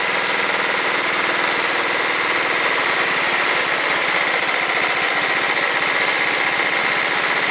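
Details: John Deere STX38 with Kohler Command 13 hp single-cylinder engine, first start after sitting as non-runner and mouse-nest cleanout: quick, even chuffing at steady rate, no misses or knocks; starts and runs evenly.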